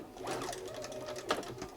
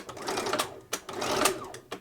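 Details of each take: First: Bernina 930 Record Electronic sewing machine at full speed: light, quick stitching patter with soft clicks at an even pace; the clicking is the needle positioning system, common on these machines. Normal running. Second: Bernina 930 Record Electronic sewing machine at full speed after a drop of oil on the hook race: bursts of stitching with sharp single clicks as the needle-positioning system engages on stopping, needle stopping up; normal for this model.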